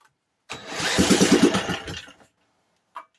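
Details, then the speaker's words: Vintage 1950s-60s Briggs & Stratton, sat 10+ years, gas about half tank, drill-started on choke: catches, pops about three times a second for under two seconds, then dies; not flooded, cause unconfirmed. "It popped for a couple of times and then there's nothing. It's not flooded."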